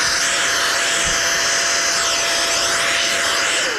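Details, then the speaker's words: NovSight G5 6000A jump starter's inflatable air pump running on turbo: high, steady fan whoosh with faint constant whine holding pitch, then winding down; blows a lot of air, running normally. "And that blows quite a bit of air. I'm really uh I'm really impressed with how much air that blows"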